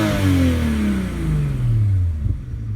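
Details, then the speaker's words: VW Corrado VR6 petrol engine, fully warmed up (188 degrees, low-temp thermostat open, fan cycling) after slowly warming to recharge noisy hydraulic lifters; smooth clean rev drop with no lifter tick: normal engine rev. "right we have happy vr6 noises good day"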